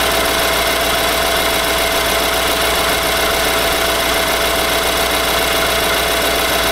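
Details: 2018 Nissan Armada 5.6 L V8, before the short block was replaced under a TSB, at cold idle: a loud, clattery, diesel-like tapping. This is engine knock from a scuffed cylinder wall.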